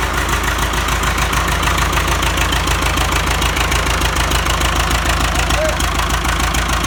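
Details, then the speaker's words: Ford 6600 diesel tractor after a valve adjustment: valves had half-inch or greater gaps with no service in 20 years, causing popping back through the intake and air cleaner; now a steady chug about three beats per second with no popping. "so we're gonna adjust the valves and see if that fixes it"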